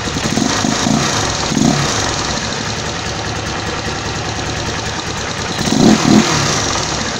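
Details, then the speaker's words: Honda CG motorcycle engine rebuilt to 262cc (CG 260R project), just finished: low, relaxed single-cylinder thump ticking over steadily at about 1,500 rpm with no knocks or misses; a clean, healthy idle. "vou ligar e mostrar como a marcha lenta ficou parado aqui em 1.500 RPM tranquila sem ser Quadrada Tá uma marcha lenta bacana né"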